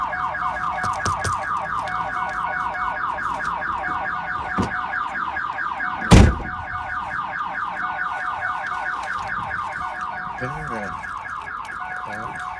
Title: 1997 Pontiac Firebird V6 Reveal Part 3 - Car wont start because of alarm system - MUST UNLOCK